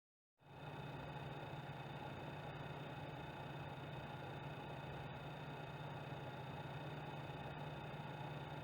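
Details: PS4 Pro running Rise of the Tomb Raider with different Pro options: a steady low buzz with a faint high whine, unchanging throughout. Console buzzing noise, cause unknown.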